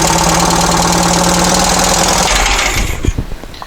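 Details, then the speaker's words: Dune buggy with a new fuel pump pushrod, run on fuel poured into the carburetor: it runs about two seconds, then sputters, coughs and dies. The mechanical fuel pump barely dribbles fuel despite looking new; a replacement was ordered. Fuel pump failure. "so i've come to the conclusion that fuel pump is not functioning even though it looks new it is not working"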